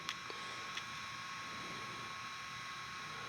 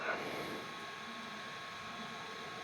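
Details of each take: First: OQO Model 2 ultra-compact PC (2007, not the SSD version) running Notepad. Its spinning hard drive makes a constant soft whir with a thin high whine. The weak CPU is always working hard, so the machine is noisy. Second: OQO Model 02 UMPC with a 1.2 GHz VIA C7-M CPU and a rotating hard drive (not the SSD version), CPU always working hard: steady airy hiss with a faint high whine, no clicks or grinding; normal hard drive and fan noise.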